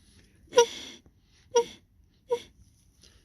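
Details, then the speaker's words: Dodge Neon with P0499 evap code, leak detection pump removed: air blown through the new pump's valve ports gives three short clear whistles as it should, while the old pump blew straight through silently, confirming it bad. "if you blow it to the top one on the new one sounds like an air horn you blow it on the old one doesn't do anything"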